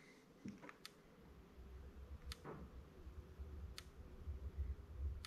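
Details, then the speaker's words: Electric fence charger with an EMP Shield surge protector connected, neutral hooked up: sharp, crisp ticks about every second and a half, roughly forty a minute, over a quiet room hum; the charger is pulsing normally. "okay so now let's hook the neutral up okay so you may hear the ticking in there but you can see it's doing the same thing"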